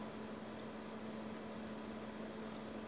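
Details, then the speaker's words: Glacier G55 12-volt fridge at startup; quiet, steady low hum with faint fan hiss, no clicking or cycling; compressor and fan running normally. "I can actually hear the fan just started so that's telling me it's running"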